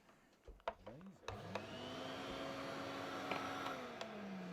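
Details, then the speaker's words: Vintage Electrolux Z302 cylinder vacuum test run after refurbishment: the motor spins up to a clean, steady whine that holds its pitch, then winds down smoothly with no grinding or squeal, sounding much better than before. Normal motor run. "yeah that sounds much better"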